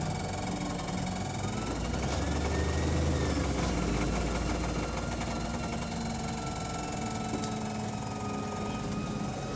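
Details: AL DW301 bus with Voith gearbox on route 194: deep diesel drone with a faint wavering whine, loud Voith; no idea why it makes the noise; abnormal driveline noise.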